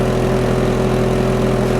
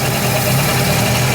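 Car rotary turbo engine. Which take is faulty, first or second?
second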